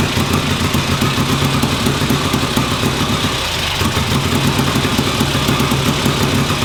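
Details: 1958 Ariel Huntmaster 650 twin, first start after bench work: it ticks over at a steady, even idle with a regular exhaust beat and no misses; it sounds healthy.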